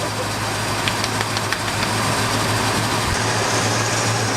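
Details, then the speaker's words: 1978 Ford F-150 V8, previously flooded, back running after performance upgrades and new fuel tank; oil pressure high; steady even low hum at idle, no knocks or misses, smoothest it has ever run; normal idle. "smoothest it's ever ran. Wow, okay. That's a whole new motor."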